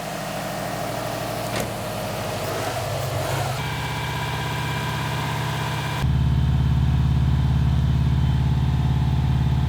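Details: Subaru with freshly rebuilt STI EJ20 short block, first start after reinstall: boxer catches and settles into a steady, even idle with a low regular beat, no knocks or ticks; sounds healthy.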